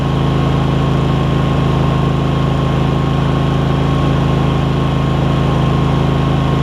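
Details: Craftsman garden tractor Kohler CV20 twin, pre-warmed, after carb clean and idle adjustment, started without choke: smooth even low drone at steady speed, no misses, knocks or surging; healthy.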